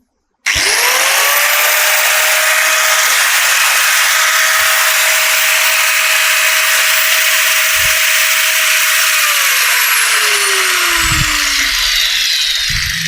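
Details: Angle grinder that had stopped running, after replacing worn, cut carbon brushes: spins up to a steady clean high whine, holds about nine seconds, winds down smoothly; running normally.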